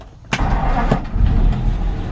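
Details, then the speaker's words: 1948 Ford F1, original matching-number flathead six, converted to 12-volt with alternator: key on and a light touch of the starter, one brief crank and it catches at once, settling into a steady even idle; healthy start. "so it fires right up and you saw when I turned the key on and then just barely touch that button just fires right up"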